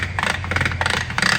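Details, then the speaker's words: Ford truck transfer case, spun by hand after a breakdown behind a custom Allison 1000 transmission: uneven scraping grind with clattery bursts matching the noise heard while driving; shift fork appears ground down and rounded. "And that kind of sounds like your sound, don't it? That's exactly what it sounded like."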